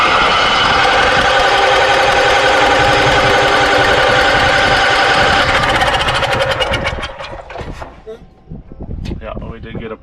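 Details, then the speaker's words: Onan Emerald III 6.5 kW generator on a Barth motorhome, sprayed with carb cleaner/starting spray: fast regular chuffing that fades and sputters out after seconds; spark confirmed, fires briefly then dies; owner plans oil, filter and fresh fuel. "good signs yeah we definitely got spark and it sounded okay for the half a second that it did light off"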